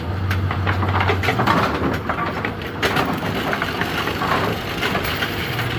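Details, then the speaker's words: Bowling pinsetter being cycled for a pin turret indexing issue: a rough, poppy grinding churn with irregular pops and clunks under the machinery rumble. Something is grinding, source unidentified. "run until it fails oh whoa something over here made a a poppy grindy"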